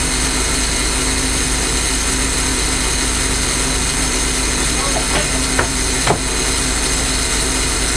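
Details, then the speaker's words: J. G. Brill gasoline motor car 120 after top valve gear work, running again: steady even engine at constant speed, a couple of brief handling clanks, motor sounds healthy and settled. "As you can hear, the car is now running."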